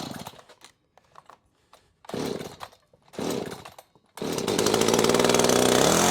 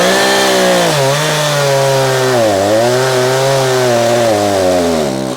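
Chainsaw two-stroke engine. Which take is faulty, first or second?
first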